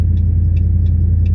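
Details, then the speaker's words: 2012 Dodge Ram 1500 pickup started after programming a new key with an OBD key programmer: engine catches and settles into a steady low idle with light, even ticking and no stumble; normal start. "Programming completed successfully. Attempt to start the vehicle."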